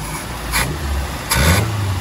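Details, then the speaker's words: Mazda Interplay carbureted petrol engine that won't hold idle, PCV valve and vacuum hoses checked: low, uneven idle with short surges every second or so; runs better with the carb intake covered, so the idle circuit is dirty or fuel-starved. "bisa dipastikan ini kotor di bagian stasioner. Nah, cirinya kalau kotor atau kurang bensin di bagian stasioner, kalau ditutup corong atasnya begini, nanti putaran mesin jadi tambah enak."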